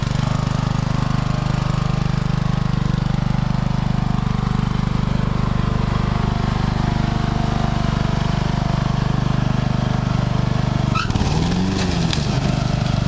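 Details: Tractor on a test ride, choke return spring not yet installed so the choke kept closing and it nearly died a few times: even low chugging at steady speed, no stumbling or misses; now running well.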